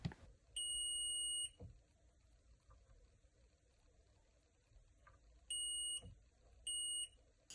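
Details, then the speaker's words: PS3 that beeps with no red light and no power: three steady high-pitched multimeter continuity beeps as a capacitor below the Wi-Fi module tests shorted to ground. "so we are going to see shorts to ground on this area which is just below the Wi-Fi module so these are the controllers voltages etc for that module and as you can see here this capacitor is shorted"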